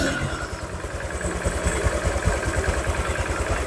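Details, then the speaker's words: Honda Vario 150 scooter engine reassembled after overheating, fast coolant loss, oil loss and rough running; warming at idle for thermostat to open, coolant circulating, level dropping, checking for leaks. Low steady pulsing idle, no stumbles or rattles; normal idle. "tunggu beberapa menit biar terbuka seperti ini ya nanti kalau dia airnya turun ya kan volume airnya turun tinggal nambah karena apa tersirkulasi dia sambil dilihat ada kebocoran apa enggak gitu"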